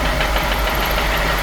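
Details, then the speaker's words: F10 BMW 550i, N63 V8, started after draining severely overfilled oil: loud, fast, steady knock over a smooth idle, no misfires or warning lights. "When an engine starts knocking like this, there are several possibilities, like rod knock, piston damage, valve train failure, or maybe something loose internally."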